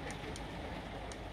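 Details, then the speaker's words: Milwaukee M18 5Ah battery with no LED lit, just over 9 V and dropping: sharp paired clicks about once a second as the charger retries the deeply discharged battery, which won't charge. "does not want to charge it looks like it's charger but it's not I've had ones like that before and you hear that clicking sound it's not happening"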